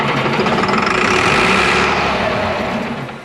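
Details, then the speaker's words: DT466 diesel in an M36A2 military truck, cranked with ether and a dry fuel system: steady starter churn at about four compressions a second, never catching. No fuel is reaching the engine. Crank no start, no fuel. "hey i think we're going to get some fuel up to her she's dry as a bone"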